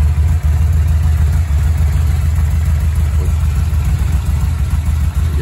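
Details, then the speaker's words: 2006 Yamaha VMax V4 just acquired by trade: deep, steady low rumble with even beat, no misses or knocks; idling smooth and healthy. "So again, doesn't sound too bad. Idle's really good."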